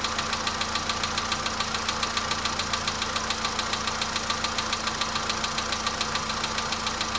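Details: VW Polo Sedan at idle: steady, very regular knock about 105 a minute over a smooth hum; engine knock, cause not determined.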